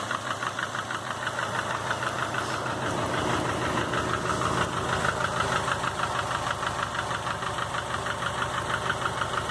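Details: 2005 Subaru Legacy GT, rebuilt refurbished block after spun rod bearings, new crank and bearings, used rods, pistons, heads and VF40 turbo, warm idle oil pressure 22 psi: clear regular knock about three per second; source unknown.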